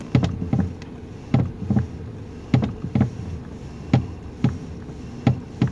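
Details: 2019 Toyota Rush: dull low knocks in uneven pairs about once a second as the wheel turns left and right, from under the steering column; suspension parts were found tight, and the loose steering column bolt and bushing is clunking.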